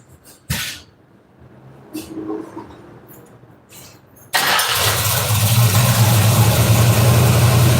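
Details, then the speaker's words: 1968 Ford Mustang convertible with new Holley carburetor and electric choke, cold start run 5–7 seconds: engine catches and settles into steady even low rumble at fast cold idle; idle speed sounds good, fuel line leak noted. "Okay, that cold idle RPM sounded good to me."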